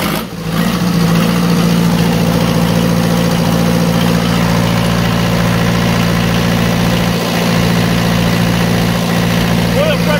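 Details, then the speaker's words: Onan 15.0 DJC diesel genset, first start after rebuild to the block and 15 kW 120/240 VAC generator transplant, no exhaust or cooling tins, unloaded: catches right away, steady, even rumble, no knocks or misses; producing voltage, good oil pressure. "okay so uh again that was just a quick start up just to see where we're at uh again it's producing voltage"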